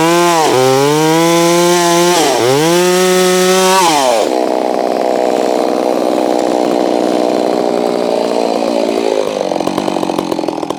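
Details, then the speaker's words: Holztfforma G660 chainsaw milling, which had been losing power at top-end RPM, tested after warming up: two throttle blips then a steady high scream holding pitch in the cut, pulling cleanly; owner says the low end still needs adjustment. "but she's definitely acting more normal now. So I'm pretty happy about that."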